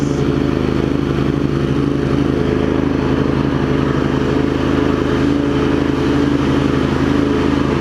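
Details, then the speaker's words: Craftsman garden tractor with Kohler CV20 engine, warmed up, after carb cleaning and new deck belt: steady running without surging, blades engaged with an even hum and no bearing growl or belt squeal. "but you hear it's not surging or anything once it Finds Its Groove it's good and then we turn the blades on pretty quiet too not a lot of bear"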